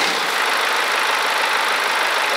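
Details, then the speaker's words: BMW 118d F20 diesel after repair: steady, even idle with light clatter and no rattle, knock or vibration. Before, it rattled and shook at start from a broken DPF bracket and cracked exhaust neck, which were fixed by welding in three places. "엔진이 완전 정상으로 돌아왔어요"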